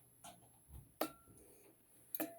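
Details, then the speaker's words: Old Amprobe 3-phase current recorder plugged in with a dummy load connected but not yet running: sharp, light clicks about once a second, meaning it is recording. Normal recording clicks. "you can hear it clicking that basically means actually recording but nothing's running"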